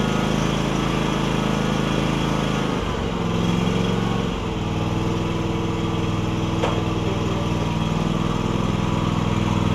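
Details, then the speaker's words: John Deere X300 mower after a new deck belt and greased spindles. Engine holds a steady drone with one brief dip under load, then settles smoothly: normal running. "let's get out here and Crank It Up drive it I'm sure the deck the deck should run I've greased the spindles as well"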